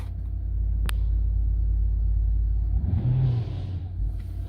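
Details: 2006 BMW 325xi E90 N52 petrol six-cylinder idling after misfire repair and clearing codes for cylinders one and two and random misfire: steady, even low rumble with no stumble or skip, no codes returning.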